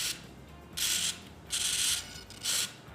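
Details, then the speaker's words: E-flite UMX Pitts S-1S BNF biplane preflight check after binding, right stick left-right moving all four wing aileron surfaces; short high servo buzzing bursts starting and stopping cleanly, even with no grinding, servos working normally. "we can see all four surfaces on the wings moving"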